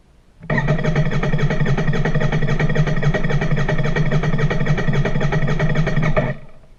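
Steady starter churn at roughly four beats a second for six seconds, never catching or picking up speed; cranking without firing.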